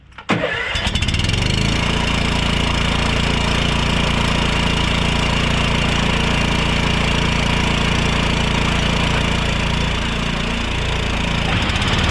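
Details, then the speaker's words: Free 2013 Honda Harmony lawn tractor, air filter refitted, carburetor left as is: starts within a second and settles into a smooth, even single-cylinder beat with no stumbles or surging, running fine. "it's running absolutely fine she kicked over without a hesitation"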